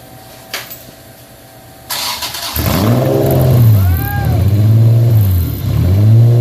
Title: First fire up Honda 3.5 vtec. Had a vacuum leak. Been corrected since